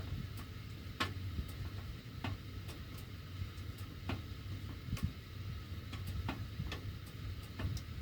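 Sharp metallic ticks roughly every half second over a low hum while the heat runs; ducts ticking, cause not pinned down.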